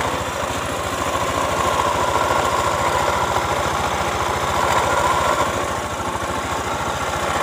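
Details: Honda Spacy Helm-In scooter that started but wouldn't move due to a snapped CVT drive belt; after the belt is replaced and front and rear pulleys refitted, it idles steadily with even pulsing and no drive slap or rattle.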